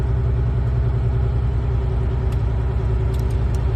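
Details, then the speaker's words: Air brake inspection on a diesel truck at raised RPM after pressure was dropped to about 105 PSI: steady, even low rumble with a faint hum as the gauge needles climb again, showing compressor cut-in working normally. "and keep on watching the these same needles when they start going back then that means our cut in is [Music] working"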